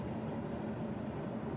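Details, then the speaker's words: Carrier furnace, about 15 years old, repaired by replacing the logic control board and 12V transformer. Steady low rumble with an even rushing tone and no clicks, rattles or surges. Working normally after the repair. "I'm guessing you can probably hear that the furnace is working, that this is now repaired."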